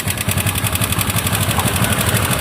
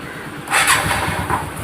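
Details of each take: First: TVS Ntorq 125 scooter at idle with timing chain deliberately loosened to demonstrate the original fault: fast, even metallic rattle over the engine note, which disappears when revved. A worn timing chain caused it and was replaced. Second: TVS NTorq 125 scooter after timing chain replacement and tensioner reset: quick start, then an even, steady idle with no tapping or chain clatter; the earlier engine noise from a loose timing chain is gone.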